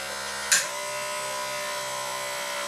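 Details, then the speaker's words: 1993 Cadillac Allante convertible top pull-down motor, original switch reinstalled, latch grounded with test light: a click then a steady even motor hum at one pitch without strain or grinding; motor runs normally. "Let's provide it with a ground and see what happens. Yes. See, this one works."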